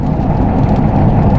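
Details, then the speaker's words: Truck driving with windows up after replacing the front wheel bearings, which had hummed badly with heavy road noise and steering wheel vibration before; now only a steady, low cabin road rumble with no hum or drone. "Because it was humming really bad before. Noise. Alright, So what are you talking about, dude? What are you talking about? you're ridiculous. Alright, let's take a listen. See if it shows up on camera. It'd be humming by now. I have nothing."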